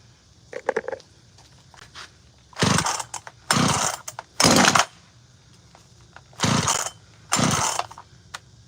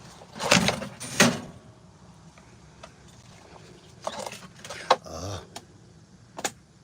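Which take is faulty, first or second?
second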